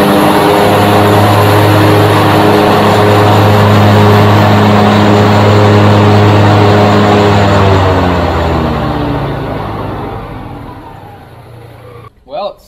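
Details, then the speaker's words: 22-year-old 2001 Grasshopper 721D2 mower after replacing the deck spindles and blades, test run: steady, even deck and engine hum with no knocks or grinding, then a smooth spin-down; the deck runs smoothly again. "smooth again and it sounds like a Boeing 747 so I'd say I fixed it"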